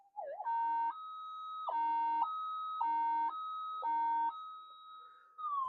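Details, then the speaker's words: Minelab GPZ 7000 metal detector after repair, speaker plugged in, coil in a plastic bin, screwdriver waved near coil: clean steady tone stepping up and down in pitch as metal passes; detector responding properly. "Yeah, so it's working quite well. It's working very, very well."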